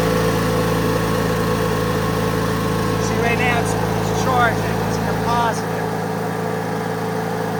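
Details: 2003 Craftsman (AYP) DYT4000 lawn tractor (hydro, electric PTO, GT5000 hood), restarted after being picked up free; steady, even drone with constant low hum, no misses or knocks. Runs strong, normal running.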